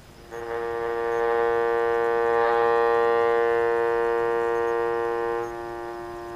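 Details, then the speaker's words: Vintage electrodynamic loudspeaker with humbucking coil correctly phased against the voice coil: steady low hum with even tones dropping in level near the end; hum reduced, though not perfectly. "and I think you guys can hear the reduction in hum that it made it's not perfect"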